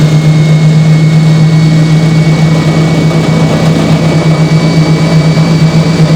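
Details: Hoover Spinarinse 3012A spin dryer from December 1968, test run after drain hose repair with silicone sealant: loud constant low drone at one pitch, no wobble or rubbing; drum running smoothly at full speed.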